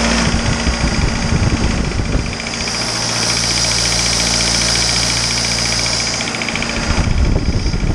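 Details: Isuzu 4BD2T turbo diesel at initial startup, warming up until the thermostat opens: loud but uniform idle rattle, constant, no standout knocks; awesome oil pressure, only minor issues, sound engine.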